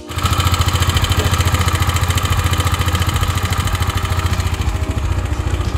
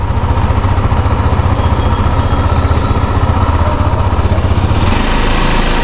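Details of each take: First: 2023 KTM Duke 390 BS6 at cold start idle: thumps about three times a second with a loose metallic rattle on top, an abnormal noise blamed on the cam chain tensioner; sometimes also appears after warm-up. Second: 2023 KTM Duke 390 BS6 single-cylinder after chain tensioner repair fixed an engine noise: steady, even idle with a firm low thump and no ticking or rattle; engine sounds clean and healthy.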